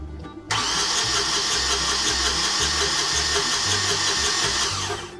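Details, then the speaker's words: Yanmar marine diesel on a sailboat, cranking after the unreliable starter was reinstalled: brisk, even cranking for about 4.5 seconds without firing, now spinning twice as fast; normal cranking speed, and a fuel problem remains. "okay well it's spinning twice as fast now"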